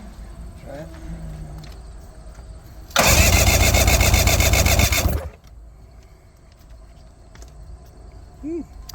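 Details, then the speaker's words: Junkyard Ebb Tide bass boat outboard being fogged and compression-tested, plugs out: a steady starter whir spins the engine evenly for about two seconds with no drag. Cranking is normal, with a compression reading of 125, which is good. "hopefully I won't spew oil all over the camera when I start cranking 125 which is good"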